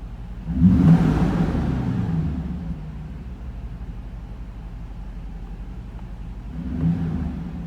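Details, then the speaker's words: 1991 Mercedes 500 SL R129 with M119 V8, warm at 63°F after idle control valve cleaning: throttle blip, then revs sag back slowly over a couple of seconds; better but still hanging up, high idle possibly from idle control valve not closing. "Oh yeah, hey, if things change, oh, see, it's still hanging up just a little bit. It's better, but it's still hanging up just a little bit."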